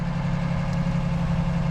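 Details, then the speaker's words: Rebuilt Ford Ranger 4.0 just after plug wires were moved to the correct firing order; even, steady low idle hum with no misses or pops. Slight lifter tick went away. "okay so what blows my mind is how did it run how did it run so smooth"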